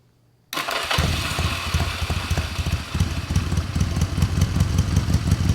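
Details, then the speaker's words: 1981 Honda CM200T TwinStar first start after rescue, carb cleaner fed, idle turned up: catches into fast, somewhat uneven idle, steady firing, no knocks; runs fine but throttle seized, slide or cable possibly stuck. "I don't know about you guys, but that sounds like a running motorcycle."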